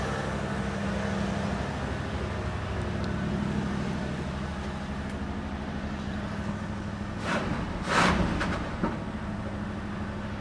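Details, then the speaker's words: 1986 Chevy K10 pickup, just started cold after sitting for years: steady, slightly fast even low drone with one brief rattle; idle a little high, owner expects choke to open when warm. "just a little bit high but when it warms up choke probably open up"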